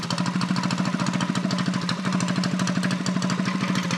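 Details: Custom Motovox minibike, stock engine with new flat-top piston and rings, same cam and rod, 22mm Mikuni-style carb, first start off choke: quick steady single-cylinder putter at raised idle, no knocks or misses; idle to be adjusted.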